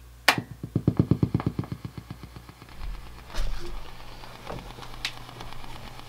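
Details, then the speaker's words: Fender '68 Deluxe Reverb amps, old and new unit compared via room mic, custom channel, volume 4, treble 5, bass 5, reverb 1, tremolo speed 6, intensity 8: rapid even ticking from tremolo, quieter on new amp but both exhibit it. "so i'm sure you can hear how they both are are exhibiting that ticking it does seem quieter in this um which is good they both exhibited the same problem"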